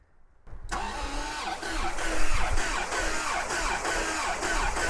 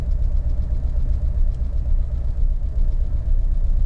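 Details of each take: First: Abandoned, stripped 1989 Bentley Turbo R V8, after a problem at the fuse panel under the glove box was traced: the starter turns it steadily for about seven seconds with a regular churning beat, three to four a second. It cranks normally. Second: Abandoned, stripped 1989 Bentley Turbo R V8 after 10 minutes running, idle dropped: deep, lumpy beat with uneven pulses showing a definite misfire; owner suspects a fouled rear spark plug never removed.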